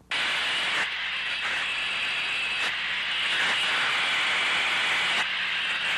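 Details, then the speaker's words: Heat exchanger with the rubber focusing probe on the Ultraprobe at individual tubes. Strong steady hiss, louder than the neighbouring tubes; leaking heat exchanger tube. "Once the general area of the leak has been found, insert the rubber focusing probe and compare the sounds to neighboring tubes. A leaking tube will produce a louder sound."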